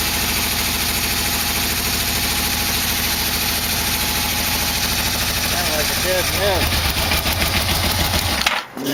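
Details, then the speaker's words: 1987 Yamaha V-Max after engine install: rough, lumpy running with an uneven beat over the exhaust note; dead miss, one cylinder not firing because its spark plug wire is left off. "it is dead miss I don't have a spark plug wire on here not good Joe"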